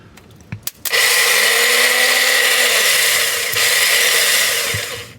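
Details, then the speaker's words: Likely the SR20-powered Nissan 240SX S13, with the starter solenoid terminals bridged: a high whir that spins up and winds down without cranking the engine. The starter is bad. "Bad starter."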